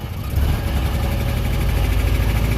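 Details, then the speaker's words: Single-cylinder engine with Pertronix electronic ignition, throttle opened: chugs low and stays flat instead of climbing; advance mechanism seized so it won't rev or make full power, smokes a little. "there's no Advanced mechanism so that is a problem it won't rev up it's not getting full power"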